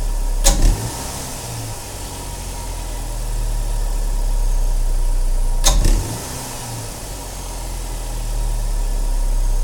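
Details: 2007 Saturn Sky NA, just fitted with a K&N 69-Series Typhoon cold air intake and a cleaned MAF sensor: two sharp, brief clicks as the throttle snaps open and revs climb from a steady idle. Source unclear.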